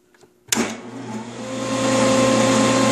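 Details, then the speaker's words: Old benchtop belt-drive dado table saw motor with power feed, previously on a Baldor VFD: clicks on, spins to a smooth steady hum, no rubbing or vibration; idles about 4.9 amps unloaded, rated 6.5. "it idles about 4.9 and i'll run a piece through in a little bit but um it'll jump up to about nine"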